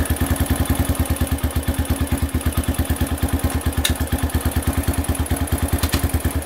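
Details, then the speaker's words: Honda CRF150F cold start after carburetor cleaning to fix a clogged idle jet, one kick, on half choke and in gear with no throttle; quick, even single-cylinder thumping with no stumbling; normal cold idle on choke. "so it's on half choke I can't reach down there and unchoke it cuz I got in gear"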